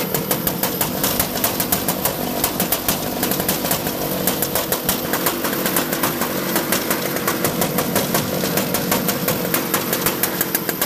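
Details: Mini Rok kart two-stroke, previously hard starting, first startup after replacing the ring gear and Bendix starter gear: crisp, rapid popping at a steady idle, firing evenly without stumbles; starts and runs fine.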